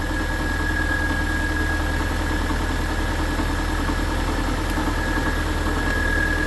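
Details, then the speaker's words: 2003 Subaru Forester after alternator replacement, now charging 14.18 V: steady idle with alternator whir plus busy mechanical clatter and thin whine, not knocking; suspected loose torque converter bolt near bell housing; engine noise at idle. "Now this motor is a bit noisy, but it's not knocking, so I'm not quite sure what that noise is."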